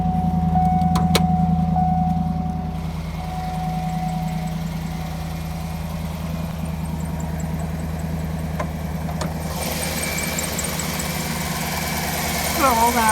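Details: 2009 Cadillac Escalade 6.2 V8 at idle: light, even tick over a steady idle, a valvetrain tick, likely a lifter; cause not yet found.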